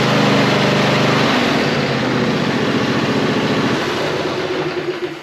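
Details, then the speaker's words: John Deere E140 mower that quit from fuel starvation, after removing a leaf blocking fuel: small engine runs with steady, even beat, then eases off; no stumble or misfire. "So all I can do now is make sure it cranks and tell him to mow."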